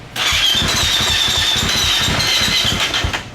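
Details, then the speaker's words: Early fuel-injected Yamaha YZ450F four-stroke dirt bike, cold, after sitting and reportedly not starting: about three seconds of steady starter cranking with uneven compression pulses and no firing. Cause suspected, not confirmed. "this is one of the early fuel injected bikes and these things were notoriously hard to start when they're cold too"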